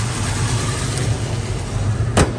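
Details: Restored 1967 Ford Mustang, rebuilt 289 V8 with fresh aluminum intake, C4 automatic, dual exhaust, 51,385 miles: deep, steady V8 rumble at idle, even and smooth with no misses or knocks; healthy idle.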